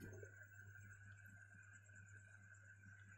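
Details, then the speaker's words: Fridge compressor powered with only the condenser connected: a steady low electrical hum with no suction or air output, stuck and failing to start, then the overload cuts it off again. "Sudah saya putuskan, harusnya di sini yang keluar udara saja. Tuh terdengar lagi suara mendengung."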